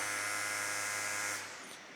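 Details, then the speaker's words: MSI Stealth 18 HX AI 2025 laptop (RTX 5070 Ti) in max fan mode while running hot: a loud, steady, high-pitched whine over rushing airflow that cuts off abruptly; reviewer suspects this unit may be defective. "So as we can see here, that sound is quite annoying. So if you're playing games for a long period of time, that this is going to become a challenge."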